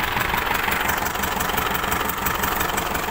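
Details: Isuzu D-Max diesel idling unevenly with clattery pulse about three beats a second, hard to start, smells of unburnt diesel, water mixing in; signs of head gasket failure.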